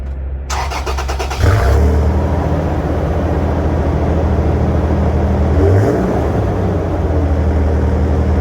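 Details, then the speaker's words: 2008 Toyota Tacoma with a cheap replacement muffler, before Walker Quiet Flow install: cranks, catches and revs with a loud, deep booming drone audible into the cabin. "Believe me, when you're driving, it just sounds horrible. It's a horrible sound. It's so loud. You can hear it all the way into the cabin."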